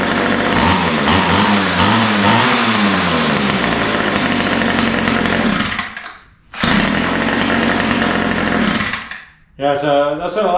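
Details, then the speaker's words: Ryobi two-stroke trimmer after adjusting lean mixtures, low-speed needle set slightly rich: revs hard and drops back to idle cleanly with no bog or stumble, now runs and starts easily. "to see it sounds pretty good right now I took a little tinkering with the low speed mixture needle to get it just right"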